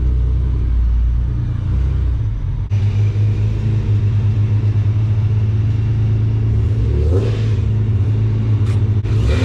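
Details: Nissan 370Z with a newly installed Soho supercharger kit: steady even idle rumble with a light rev blip, faint blower whine underneath; healthy, normal supercharged idle.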